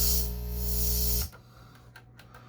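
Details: Pioneer SX-205 amplifier playing DVD/CD source through speakers, opened up: loud, harsh, fuzzy distorted music with hissing edge, then near silence; distorted audio output, owner suspects aged conductive glue and dirt inside, not confirmed.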